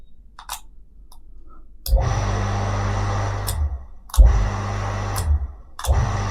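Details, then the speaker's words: Havells JSE1 1.0HP 0.75kW single-phase shallow well jet pump: motor cuts in sharply with a thump, drawing a heavy load at switch-on, then settles into a steady low hum; healthy start-up. "तो आप देख सकते हैं भाई जब ये on हो रहा तो एकदम झटके से लोड ले रहा है तो पावर तो ये काफी लेता है"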